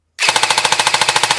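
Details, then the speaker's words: CYMA REC10 SR25 airsoft AEG on slow cycle, after finding the motor height sweet spot. A crisp even burst, about fourteen shots a second, with a clean stop and the previous whirring noise gone; healthy gearbox. "Found the sweet spot. That little whirling noise is gone, so slow cycle and it sounds like"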